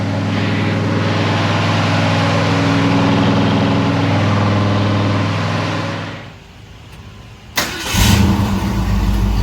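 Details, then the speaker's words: 1965 Ford Ranchero after new cam, lifters and timing chain to cure valvetrain tick, held at 2000 rpm for cam break-in; smooth even fast idle, no ticking or knocking, then clean shutoff, running healthy. "We're gonna let it run at 2,000 for about 20 minutes, break the cam in, and then we'll drop it back down, check the timing, do all of that stuff, and then go take it for a drive."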